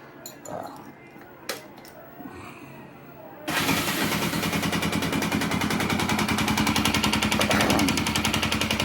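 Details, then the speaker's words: Motorcycle engine starts with a hard, regular knock about three or four a second, a connecting rod knock, heard through a level hose held to the cylinder and piston area, more direct on the stator side or cylinder head. "esta aquí se Oy el golpeteo aquí cilindro cilindro y pistón y sea aquí por se escucha aquí el ruido se escucha acá más directo o lado del estator o culata"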